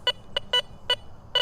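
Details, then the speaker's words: Garrett Vortex VX9 metal detector in standard multi-frequency mode with bottle cap reject on, swept over a ferrous bottle cap in a park: short choppy high beeps in uneven bursts, target ID jumping between 2 and 12 (60–65 before reject), broken iron response, not a coin. "You can probably hear that. It's gotten extremely broken and choppy, which tells me it's not a coin."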